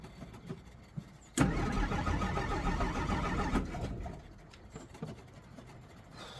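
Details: 1963 Jeep Gladiator cold start with pedal pumping, battery possibly weak after the key was left in the ignition: a two-second burst of rough cranking that half catches, then dies without running. Hard starting, cause unknown.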